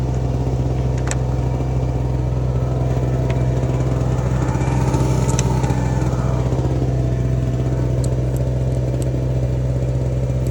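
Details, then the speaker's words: Small two-stroke Chinese generator of unknown history (label 1000 W peak, 850 W rated), adjusted with a slightly sticky linkage and over-volted, powering a heat gun: loud steady buzz holding even pitch at about 830 W, no hunting or misfire; healthy running under load. "it's giving us 830 Watts I got 900 out of it earlier so I'm calling that a win"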